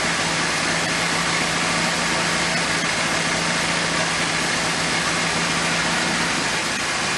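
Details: Abandoned 1979 Triumph TR7 running again on rebuilt carburetors from a parts car and an electric fuel pump; a steady, even idle with a low hum under plenty of hiss, holding speed smoothly, though the rebuilt alternator gets very hot.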